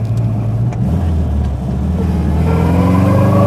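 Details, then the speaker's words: Subaru MV284/Brumby/BRAT pickup pulling up through first gear; distinct gear whine rising in pitch with road speed from a notchy, mechanical gearbox; transmission noise is typical for these Subarus, not a fault. "The gearbox very notchy. You can definitely feel the gears going in and uh bit of transmission noise is something you do get in Subarus."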